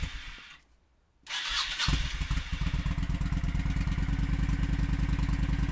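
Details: Honda Shadow V-twin with stock exhaust refitted, after sealing exhaust leak with high-heat gasket maker that had caused backfiring: steady even idle about three pulses a second, no pops or backfires.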